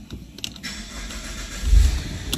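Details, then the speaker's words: Non-starting 57-plate Saab 9-3 convertible with a second-hand ECU plugged in temporarily (still to be fitted on the gearbox and programmed). After clicks, the engine cranks briefly and catches cleanly into a steady run: normal start, fault confirmed. "and that's the fault fixed but it's not fixed yet because that ecu was to be fitted on top of the gearbox and then programmed into the car otherwise it will not work so but at least we've got the car running"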